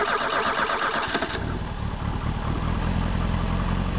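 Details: Bobcat skid steer with a swapped-in gasoline V8, dipstick relocated to the rear, fed by a gasoline solenoid: brief crank, catches within about a second and settles to a steady, even V8 idle; starts and runs fine.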